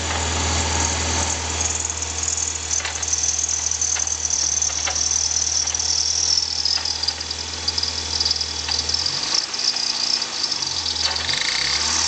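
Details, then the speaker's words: Stock 1991 Toyota MR2 Turbo, cold idle after sitting days: harsh gritty metal-on-metal scraping grinding, usually on warm-up, not from belts; owner suspects turbo compressor wheel scraping housing, some shaft play; ticking rattles are an exhaust leak. "So 91 MR2 turbo making a pretty bad, strange noise. It's usually on warm up."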